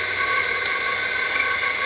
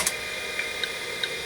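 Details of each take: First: Old 5.25-inch full-height Maxtor XT-1000-series MFM hard drive running: steady high-pitched whine with a hissy edge, constant speed; noisy drive, bearing thought to need lubrication. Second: Old 5.25-inch full-height MFM/SCSI hard drive (Maxtor/Micropolis/Seagate) formatting tracks with varying interleave through a diagnostics utility: sharp, evenly spaced head-seek ticks over a steady high hiss, normal operation.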